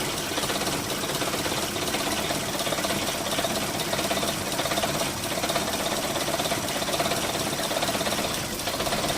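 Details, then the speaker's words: Holden Rodeo 2.6 at a loud, busy idle with an uneven rump-rump stumble. A problematic mass airflow sensor is suspected after cleaning, but the cause is not confirmed. "You can probably hear it a little bit, the stumbling engine. Sort of a rump, rump, rump."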